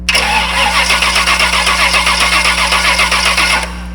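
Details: Performance starter cranking with the coil wire removed so the engine won't start, while voltage is checked at the starter ignition terminal: just over 11 V, battery 12.8 V. Steady, even, strong cranking at about four beats a second; healthy starter.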